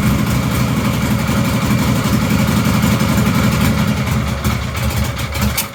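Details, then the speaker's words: 1953 Harley-Davidson generator shovelhead bobber V-twin, kicked over totally cold: fires and holds a quick, lumpy but steady idle with no knocks or misses; runs fine. "now it's going to start idling quite quick and then i will try and slow it down for you so you can hear what it's where it's running like obviously it's really cold so normally i'd run it at higher revs for a bit before it gets going"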